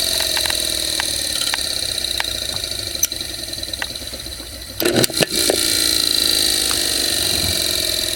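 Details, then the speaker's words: GE AC electric motor dated December 1933/1934 from a window fan, new cord only, sleeve bearings unchecked: even high hum with steady tone and a few handling knocks, starting smoothly and running well; normal running. "thing really kicks quite a bit already runs well this motor is very pretty heavy motor"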